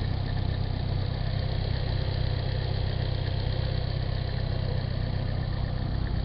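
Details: Nissan 240SX, stock engine, 160,000 miles, idling. Light, fairly even rattle about four times a second over the hum; the owner suspects the timing chain hitting its guide or the water pump, unconfirmed. Engine rattle at idle.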